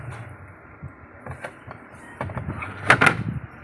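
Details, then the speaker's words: Sharp washing machine with a sealed tub, repaired for not spinning dry or draining, tested after reassembly: quiet machine with soft clunks and swishes in short bursts as the agitator turns one way then the other; normal two-way agitation. "Bây giờ mình bật on ép lên coi mở đảo chiều hai chiều nha. Rồi đảo hai chiều nha mọi người. Giờ là máy đảo hai chiều rồi đó."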